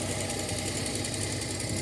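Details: Datsun 280ZX with sudden bad miss, random misfire on one cylinder audible in exhaust, owner suspects coil or ignition control module, no vacuum leak hissing heard; cold lumpy, uneven idle that stumbles now and then.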